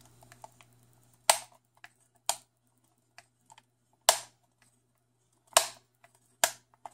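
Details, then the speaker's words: Xbox One controller thumbstick making sharp, uneven plastic clicks with faint ticking when pressed while circled, during NHL 17 play; the player gets stuck in one direction. Cause unknown. "I noticed the thumbstick was uh making a weird clicking noise and my my player was kind of getting stuck in a Direction"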